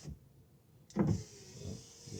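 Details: VW Polo after repairing the door wiring for the electric windows, tested on a temporary switch: the right window motor gives a short, steady whir as the glass travels and a soft thud at the end of travel; the window works normally.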